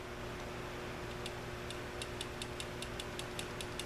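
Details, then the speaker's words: Coolster 70 pit bike (Honda 70cc clone) engine stopped, valve covers off: light, sharp metallic clicks, about four a second, as the valve rocker is rocked by hand checking lash; this one probably close, to be readjusted. "you can hear it clicking. So it's probably real close. But I'm going to readjust them."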